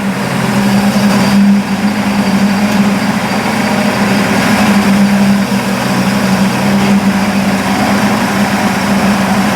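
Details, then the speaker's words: Burnt Buick after new plug wires, cap, rotor and points, timing unchecked; steady even idle with smooth low hum, no knocks, misses or surges; engine runs well, carburettor adjustment still uncertain. "it sounds pretty good and and I don't know if the timing's right"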